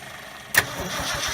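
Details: 1969 Ford F250 first start after 11 years, with a swapped carburetor and starter and a spliced-in fuel pump fed from a canister; sudden catch with a sharp burst, then ragged uneven firing that dies. Owner suspects an open vacuum line at the back of the engine.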